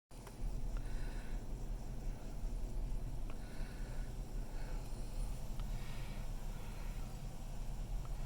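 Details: 2006 Hemi V8 heard inside the cabin at idle, revving to about 2000 rpm, and in drive: a deep, lumpy rumble with an uneven, slightly wavering beat, a rough idle.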